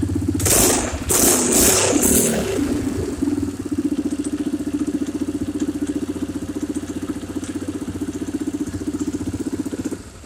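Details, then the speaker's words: Polaris Sportsman after valve adjustment on a no-start: loud cranking and catching, then fast regular thudding beat at idle about four per second; some internal banging, cause unknown. "I'd say it's running she's got some banging in there though whatever that is"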